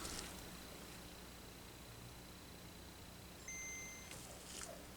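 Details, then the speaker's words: Working Game Boy DMG board fitted with the crystal from the non-booting board, volume all the way up: faint clean two-note boot ping over quiet hiss, a good boot, showing the crystal was not the fault. "We have a good That was a good boot there."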